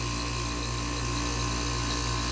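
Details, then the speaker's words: 1986 Kenmore 6,000 BTU air conditioner, rotary compressor, freshly oiled fan motor, fan between speeds: steady compressor hum under fan whoosh, no knocking or rattling; compressor sounds okay, fan slightly off balance causing vibration. "i don't really know much about rotaries i think it sounds alright this fan's a bit off balance and i need to work on that because it vibrates a bit much"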